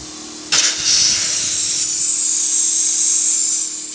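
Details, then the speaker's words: 1971 Autocar A64F truck, engine idling: steady loud hiss of escaping air; the brake valve blows air to the brakes continuously unless its control line has air. "Okay, I figured out what my problem is. This blows air to the brakes the whole time unless this has air."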